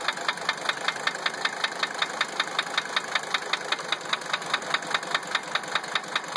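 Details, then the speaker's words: 1980 Mercedes-Benz 300 SD diesel idling with a sharp, regular knock about three to four per second over steady clatter; injectors #1 and #3 replaced without curing it, and cracking the lines rules out injector nailing. Cause unknown. "I replaced injector number 3 completely. Because that was the only injector that when I cracked the lines, the sound changed. And, well, didn't change it enough."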